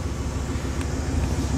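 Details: Truck exhaust heard from outside after a Y-pipe and Hushpower muffler install aimed at better mileage: deep, steady, boomy low rumble with little top end, quiet inside; owner unhappy with the loud exhaust drone.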